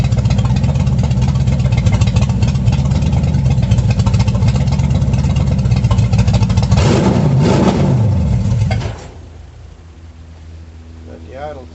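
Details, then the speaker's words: 350 V8 in a 1937 Dodge Brothers, first start after correcting firing order: strong steady rumble, quick rev blip, then clean shutdown; timing unverified, idle a little low, carburetor unadjusted, runs healthy. "Don't know if the timing's right. I just played with it some, but it sounds good."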